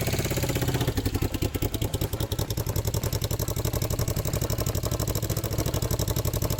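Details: Yamaha XS650-based twin scrambler with a home-welded custom 2-into-1 exhaust and new port gaskets: after start-up, an even, steady idle thump with no puffing, ticking or leak hiss; normal exhaust note.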